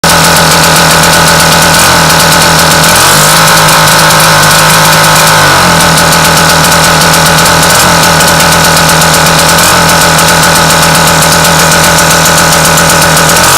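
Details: Seagull two-stroke outboard idles unevenly, its pitch dipping and recovering as it hunts; it only runs steadily with a very delicate points adjustment that doesn't seem right; rough hunting idle, cause suspected.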